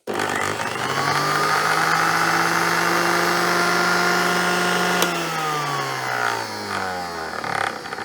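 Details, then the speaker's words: 1970s blender with glass jug, no safety switches, powered up on bench: motor spins up to a smooth, steady, powerful high whine and winds down cleanly with no grinding or rattle; normal motor run. "That sounds pretty good actually. I take it these are all different speeds. That sounds very powerful."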